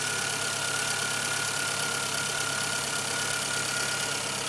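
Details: 1997 Suzuki Swift 1.3L petrol engine idling: light, fairly regular tick about three per second over the hum.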